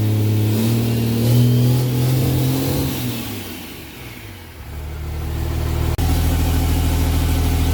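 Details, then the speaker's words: 4th-gen Cummins diesel pickup after a 2nd-gen turbo swap, test-started with an open downpipe and no muffling: a very loud, raw diesel bark that sags and climbs with revs, far louder than the stock turbo. Loud exhaust from the open downpipe. "right this thing is super loud because it's straight from the downpipe and this deck engine swap is like night and day louder"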